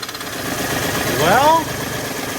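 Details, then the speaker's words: Short squealing chirp rising and falling over the running V8 of a crash-damaged Audi D2 S8 at first start in about a year; noise persists with belt off, crank pulley rubbing, possibly not seated properly. "that's the sound of our horrific noise so I guess the engine is okay we just need to figure out why that is making contact right there"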